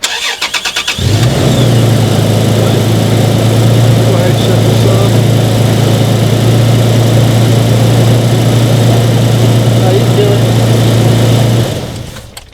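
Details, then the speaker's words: Toyota Tacoma with the positive battery cable disconnected, jump-started by a NOCO GB70 2000A booster in override mode; brief starter whirr, then it catches at once and settles to an even idle before shutoff, a normal start. "So there we go. We've had 5 jump starts, and of course all of them have been successful."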